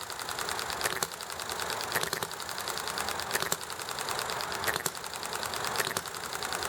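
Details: Enjomor small hit-and-miss engine running nicely: sharp single firing pops about once a second with quiet coasting between, over background hiss, chatting and highway traffic; normal hit-and-miss running.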